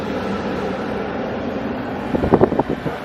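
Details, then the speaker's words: Mercedes GLA 250 blower motor with the engine off, just after replacement; the old motor vibrated and hummed at high fan speeds on the passenger side: now a steady, even fan whoosh with no rattle or hum. "Go ahead and start it, Mom. Just don't start the car though, just turn that on. Ooh, much better."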